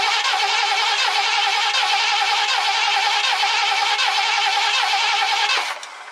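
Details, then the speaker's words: 1969 Ford Econoline van, last run date unknown: fuel line disconnected at the engine and fed from a gas can, cranked to test fuel pump delivery. The starter churns steadily at about four beats a second with no firing; cranks, no start. "I'm going to turn it over and see if it pumps any fuel out. Uh this is probably going to take a little bit, but we'll go ahead and see what happens."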